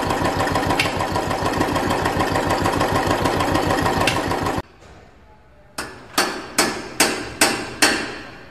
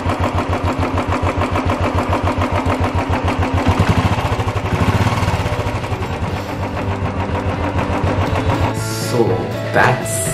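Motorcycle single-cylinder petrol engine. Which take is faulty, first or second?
first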